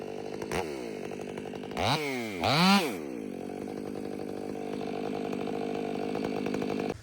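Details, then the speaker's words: Ported Stihl MS500i (Empire Workshop) with a new MaxFlow Pro Series air filter snaps crisply up and down, then holds a strong, steady high note through the cut without bogging; normal, healthy cutting under load. "Weekend Warrior stopped over and one thing he brought up is how hard these things pull."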